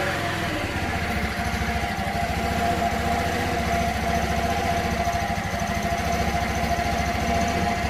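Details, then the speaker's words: 1984 Honda Elite 125 (CH125) scooter just after an iridium spark plug upgrade: the small single-cylinder putters evenly and revs cleanly with no misses, sounding the same as before the upgrade. "let's start the bike and see what happens flight starts up [Music] sounds about the same as what i'm used to hearing"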